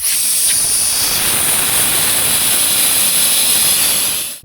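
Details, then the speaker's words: WARM monoblock heat pump with low-pressure error: strong steady high hiss of refrigerant escaping under pressure from a small hole in a cracked pipe, located with leak foam bubbles; later brazed and pressure-tested with 13.9 bar nitrogen. "Good, now we know where it’s hissing. A beautiful bubble, and under the bubble is a lovely little hole."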